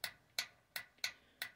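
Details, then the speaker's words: Clothes dryer that won't come on, unplugged, testing recently replaced door lock latch: five crisp even clicks a third of a second apart, nothing dragging; latch sounds like it's working. "it sounds like it's working I'm going to test it but I'm pretty sure that that's working now"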